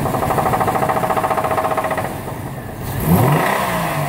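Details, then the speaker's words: 2008 Chevy Trailblazer at idle and revving: rapid rhythmic knocking about four per second that changes with revs; spun rod bearing knock, diagnosed with a mechanic's stethoscope. "got a 2008 chevy trailblazer it has an engine rod knock"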